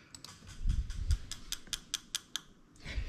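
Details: JZ modular harness with ECUMaster Classic ECU for a 1JZ-GT-swapped IS200, ECU output test, starting on injector one. Quiet, crisp ticks about five per second, then stop: the injector clicks normally.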